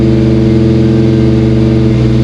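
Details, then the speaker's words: Ford Fox-body Mustang after replacing the distributor PIP pickup sensor: smooth, even idle with steady low hum, no stumbles or cutting out; sounds all right, normal idle. "so far sounds all right"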